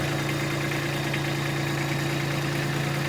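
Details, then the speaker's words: Kubota B2601 tractor diesel at idle with grapple on third-function valve: steady chug dragging down slightly as third-function buttons are pressed, but grapple does not open; hydraulic failure. "you can hear the engine bearing down as i hit the buttons but no joy the grapple is not opening up so got a problem"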